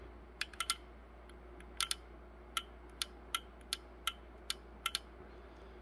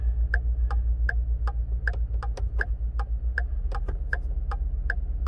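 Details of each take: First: 2013 Ford F-150 XLT with repeated BCM failures after windshield water leak: about a dozen dry clicks as a fuse-box relay switches on and off when battery power is removed during electrical diagnosis. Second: 2013 Ford F-150 XLT with its third body control module, after water leaked in through the windshield: even relay-like ticking two to three times a second over a low hum; hazards stuck on from a failed BCM.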